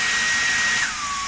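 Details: Dyson V10 cordless vacuum after stripdown and repair to make it air-tight again: steady high whine dropping cleanly to lower pitch when power mode changes; smooth even airflow, healthy.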